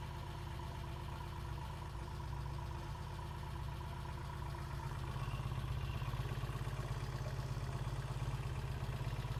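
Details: 1968 Triumph T100C twin idling cold just after starting: even, steady low thump, about 200 pulses a minute, no knocks or misses; healthy idle, good oil flow, no leaks, charging okay.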